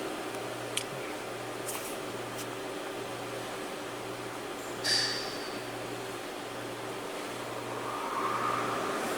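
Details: 2017 Hyundai Elantra that had a check engine light and lack of accelerator response, idling while the misfire counter is monitored: quiet, even idle with a soft steady low pulse, no stumbles or shakes; running smoothly on all cylinders.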